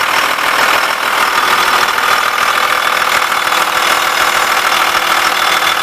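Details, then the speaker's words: 2000 Blue Bird All American RE bus, remanufactured 5.9 Cummins 24-valve turbo diesel 215 HP, Allison MT-643, sat at least a year, grid heater just fired; steady even diesel clatter at constant idle, no misses or surging; normal idle. "so we'll go ahead and start this so you can hear it run"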